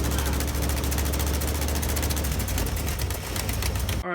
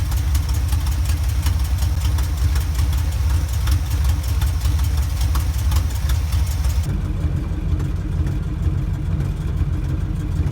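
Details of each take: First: 1977 K10 truck with a 350 small block Chevy, idling with a rapid sharp puffing tick about ten times a second over a deep V8 rumble: exhaust leak at the header, where the header-to-head gasket was blown out. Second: 1977 Chevy K10 truck, 350 small block V8, after welding the cracked header and fitting new gaskets: steady, deep idle rumble with no puffing or ticking from the exhaust manifold.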